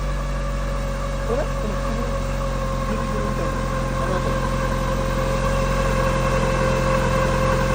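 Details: Mitsubishi Lancer Evolution V 4G63, running after timing belt and pulley replacement: a steady whine around five hundred hertz over the idle with a slow surging wow; owner suspects an over-tight balance shaft belt.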